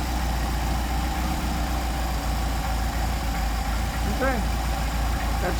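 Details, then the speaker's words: Engine with freshly rebuilt, warmed-up Solex carburetors after mixture screw adjustment, idle raised back to six on the scale after revving had dropped it: a low, steady, even idle with no hunting or stumbling; carburetors well balanced and healthy. "So we're going to increase the RPM. There we go. Six on the scale. Six on the scale. We'll leave it right there."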